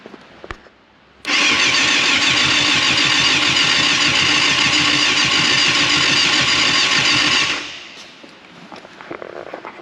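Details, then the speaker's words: 1989 Yamaha FZR600 Genesis, unstarted for over 4 years, with old varnish-smelling fuel not yet replaced: about six seconds of steady starter whirr with no firing, a crank no-start suspected from stale fuel gumming the carbs. "oh it's that close it's the old fuel yeah it's probably gunned up the derbies"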